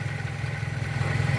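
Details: Pointer 1.8 after the two terminals of the missing bridge part were jumped with a wire: the shaking is gone, with a low, even hum as the idle stabilizes.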